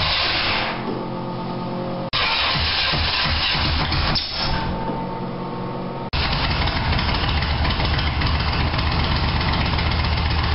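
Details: 1987 Toyota Supra MKIII with swapped 350 Chevrolet Vortec V8 and 700R4, after rebuild with firing order and timing set: big V8 fires and settles into a steady, slightly lumpy idle, even beat, no misses or backfires; normal idle.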